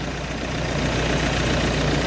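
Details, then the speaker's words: 2018 Ford Everest diesel that used to shake then stall within about two minutes of starting; it has now run a while without stalling: steady, even idle, smooth low rumble, no shakes, dips or hunting; normal idle. "So, kanina ko pa in-start. Wala siya."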